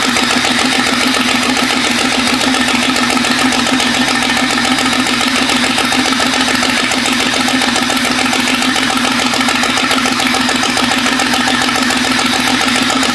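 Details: Jeep 5.0 stroker build after longer pushrods fitted: loud, busy idle with an uneven, loping beat and stumble. Exhaust header temperatures show the middle cylinder at about 220–230° against the 400° others need, so it isn't firing; owner suspects pushrod length or lifters needing to bleed down.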